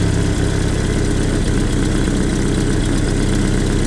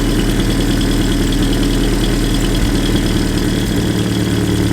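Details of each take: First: Land Rover Series II 2.25 petrol, Weber carburettor; it idled too fast and may have overheated. Idle screw turned down: steady, low, slightly lumpy idle, now slower but not running perfectly. Owner thinks 600–800 rpm is typical. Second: Land Rover Series II 2.25 petrol with Weber carburettor and aftermarket air filter, warmed up: idle speed lowered via side screw, now slower but uneven and lumpy, not running perfectly; target about 600-800 rpm.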